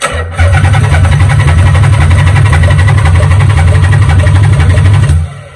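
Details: Nissan 300ZX Z32 that sat for years, on jumper, in neutral, no fuel pump heard at key-on: deep, even cranking churn about four beats a second for five seconds, then stops; never keeps running, cause unconfirmed, stale gas smelled.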